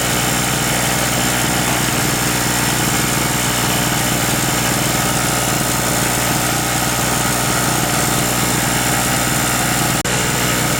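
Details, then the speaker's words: King Canada 950 W generator, 2 hp two-stroke, after repair with air filter box refitted, under small load with a 550 W light: steady, even buzz holding one speed, very quiet at about 57 dB; normal idle. "we had a bit of an idle over that air filter box and everything put on there it's very very quiet 57 decibels so that's a small it's quiet looks pretty good"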